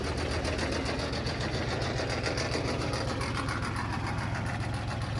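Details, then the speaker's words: Old diesel Intimidator UTV, cold, upgraded larger battery; long, even cranking churn over several seconds with no catch; hard starting, owner suspects glow plugs not working, unconfirmed. "have to crank it for so long"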